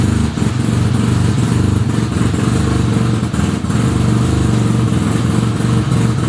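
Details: 1975 Suzuki RE5 rotary motorcycle just after full restoration, engine started: idle with irregular thumps and clatter over low drone; abnormal transmission noise, cause unknown.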